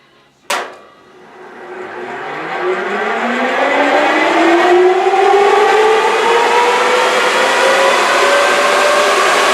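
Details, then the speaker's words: Restored J44 turbojet, accessory drive reinstalled, motored at full starter power for the first time in over two years: a click, then a smooth whine climbing for about five seconds and settling even; a known slight bearing rattle aside, normal starter motoring. "it sounded pretty good on the uh motoring test so i'm pretty satisfied with that"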